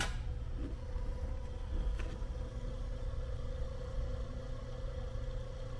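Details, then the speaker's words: 2nd-gen 24v 5.9 Cummins, new 100 GPH 17 psi AirDog lift pump replacing factory Carter, priming with key on before start: soft low hum and faint steady whine, much quieter than factory pump. "I don't know if you can hear it it is sitting there running it is so much more quiet than that factory style Carter pump"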